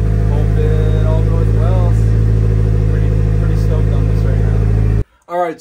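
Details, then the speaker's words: Steady, smooth idle without knocks or misses from a Nissan 240SX on its first start after revival; it ran iffy at first but idled perfectly once warmed up. "yeah it's alive we got it running as you can hear running good it was running a bit iffy at first but man it is running very happy"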